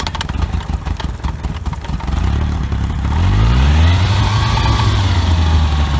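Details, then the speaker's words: OMC 2.5 L 140 hp sterndrive in a 1981 Sea Sprite, started on water muffs after sitting since winterizing: it catches after a few rough turns, then settles into a steady, even low hum with no misses or knocks while warming up. Normal idle. "Pretty quiet, pretty smooth running little motor. We're going to see if the temperature coming up."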